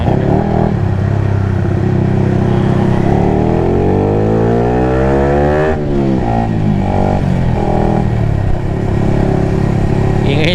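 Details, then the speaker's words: Sniper motorcycle, stock ECU with 160 injector (previously 135), not yet revved hard, earlier max around 6–7k rpm: engine pulls cleanly up through the revs and drops back smoothly, no stumble or bog; fuelling sounds right. "Sarap um RPM nito. Siguro kung nakaecu pa ako ah mas masarap."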